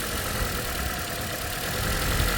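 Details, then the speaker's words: Toyota Corolla (ZRE152 or 182) with check engine light and misfire, coil pulled loose across the line: low, uneven lumpy idle as one cylinder drops out, rpm rising when coil plugged back in; induced misfire with coil unplugged. "You can hear the RPM. When I plug this back in, the RPM speeds up."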